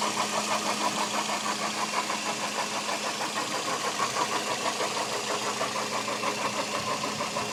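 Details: Toyota Echo 1.3 VVTi at idle: fast light tapping about three a second over the hum; mystery noise, source unknown.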